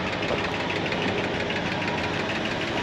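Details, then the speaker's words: 1968 Ford Galaxie XL V8, parked since 1986 and just revived, with its 2-barrel carb: quick, light, uneven ticking over the idle. It was first thought to be noisy lifters but was traced to worn rocker arms. "Now before we do that, you may remember those noisy lifters, or so we thought."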